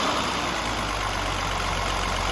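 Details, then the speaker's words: Engine after fuel, fuel pump and filter changes and replacement of a leaking accumulator and the coil: steady, even idle with a smooth low hum and no stumble or misfire. It now runs much better, though a hot-start problem remains. "But I think it's the accumulator that now is letting this engine run much better."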